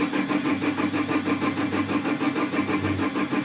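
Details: Iveco Daily van cranks steadily, about three turns a second, but never fires; fuel pressure regulator and fuel pump relay already replaced; only the injector warning light comes on, no other dash lights; cause is a faulty ignition/start switch.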